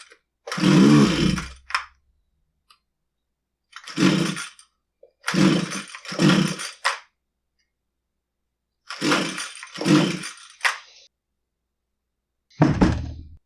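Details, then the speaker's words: Husqvarna 129L two-stroke string trimmer, repeated recoil pulls on full choke: short raspy bursts with an odd weak pop, never catching; plug and cylinder stay dry, a no-start traced to an air leak at the carburetor mount. "I mean there you go it didn't run so what I want to do is I want to take a look at the spark plug and inside the cylinder again"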